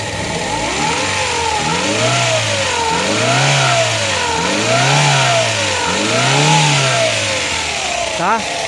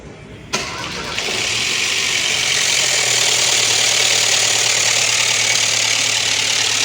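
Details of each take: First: Ford Ka 1.0 Zetec Rocam after oil-light and chain-noise repair (broken chain guides, sludge washed out), oil pressure now OK: clean idle and smooth revs with no ticking or knocking, faint power steering pump whine; normal running. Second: Ford Ka 1.0 Zetec Rocam with the oil light on constantly: cranks, catches, then idles with a harsh metallic clatter, lifters drained and chain slapping; broken chain guides are suspected of blocking the oil pickup. Timing chain rattle from low oil pressure.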